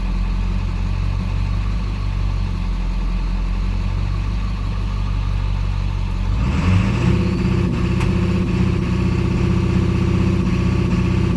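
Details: Ford 7.3L diesel with E4OD transmission idling with misfire while code P1748 is not present; deep uneven, lumpy beat that shifts when engine speed changes partway through.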